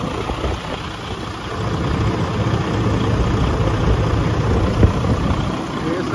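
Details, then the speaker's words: 2016 Cascadia truck with a 15-liter Detroit engine, hard starting caused by air entering at the fuel water separator filter; after the fix it starts immediately and idles steadily and evenly with no misses. "Ahí están mis amigos ahí prendió de inmediato se dan cuenta porque era porque estaba agarrando aire arriba"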